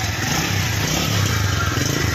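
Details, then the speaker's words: TVS Sport single-cylinder bike engine running after refit: even chugging with a crisp exhaust beat, no knocking or rattle; great sound, healthy normal running. "तो मस्त sound है गाड़ी का एकदम से बढ़िया"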